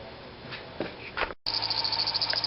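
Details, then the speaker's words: 2004 Corvette Z06 just after startup with new serpentine belt: sharp high chirping squeak about ten times a second over idle; not the belt, owner suspects the upper A/C idler pulley. "Well, guess what? It's not the belt. I think I know what it is. I think it's the upper pulley on the AC."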